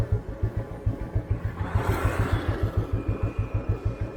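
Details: 1988 Royal Enfield Bullet 350 (80s CI engine), crawling slowly in top gear on a village beach road: slow, even single-cylinder thump near three beats a second, no knocking or stumbling; healthy engine, normal low-speed running.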